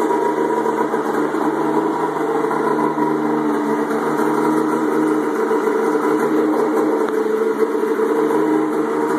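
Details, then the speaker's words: Turbo Indy 650 triple snowmobile, GT1752 turbo, LS1 coils, Ford MAF, MS3x sequential EFI: even, steady idle with constant buzzing drone, no misfires or surging; engine holds idle smoothly. "we'll start up as you can see it a idle all day"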